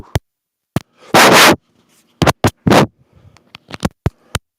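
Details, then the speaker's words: Live-stream lav microphone audio: loud, irregular crackling pops and static bursts cutting in and out with silence between, levels look okay on the meter; microphone popping and static, cause not confirmed. "Sounds bad. Popping noises are very loud. Really?"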